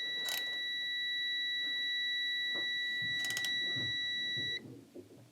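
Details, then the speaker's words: 1969 BMW R69S tune-up, static ignition timing check with a multimeter buzzer across the isolated points: steady tone while rotating, then it cuts off as the points open, right at the S mark on the flywheel, 9° BTDC, timing correct. "So I'm just going to place the buzzer right here of my multimeter and rotate until we can hear the beeping sound. That means that there is contact, and as soon as the contact breaks,"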